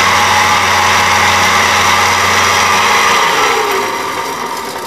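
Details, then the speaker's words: Farrata (pedestal air circulator) fan running with a loud, harsh rushing rattle over a low motor hum, caused by worn motor bearings, to be replaced. "तो देखिए friends आप कितनी तेजी आवाज पड़ रहा है और बहुत तेज आवाज कर रहा है तो इसका कारण यह है इसके बैरिंग और खराब हो गए हैं"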